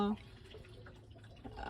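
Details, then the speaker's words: Newly installed compact automatic sailboat bilge pump with integrated float and check valve, tested with a full bucket of water. It was slow to prime, then cleared the bucket in about 2 seconds with a low steady hum and gurgling water, pumping normally. "Je suis hyper surprise parce que j'ai versé un saut d'eau complet et en 2 secondes a évacué"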